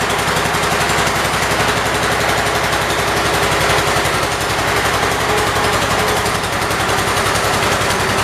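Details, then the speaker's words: 1978 Kohler K341 single-cylinder engine in a 316 tractor, freshly rebuilt with new rings, first run: steady, even beat at fast idle with no knocks or misses; initial smoke, likely burning off two-stroke oil, stopped quickly. "nope really sounds healthy i mean it really sounds good i think the smoke was it burning off all the two-stroke"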